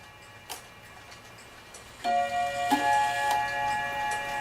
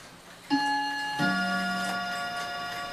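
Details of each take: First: Dutch Friesian tail wall clock after bushing repair: ticking then lingering gong strikes sounding in reversed order because the single and double gong rods were installed in swapped positions. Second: Dutch Friesian Tal wall clock that keeps stopping from a worn bushing: two clean gong strokes about a second apart striking the hour, fading evenly, strike train working properly.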